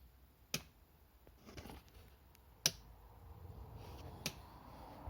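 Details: 2010 Yamaha XMAX 125 with new battery: a few lone sharp clicks about two seconds apart with no starter whirr; it won't start. Confirmed bad starter relay.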